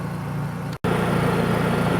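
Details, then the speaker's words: Honda EU3000is inverter generator, on slate pad, running at full throttle (not eco mode): smooth, constant high-speed drone without surging, knocks or rattles; normal healthy running. "okay y'all that is on Full trle we'll get them a little closer"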